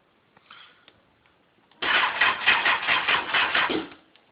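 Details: 2002 Kawasaki ZX6R, dropped on its right side twice, kill switch and choke set: about two seconds of quick pulsing starter cranking, roughly two beats a second, with no catch; cranks but won't start.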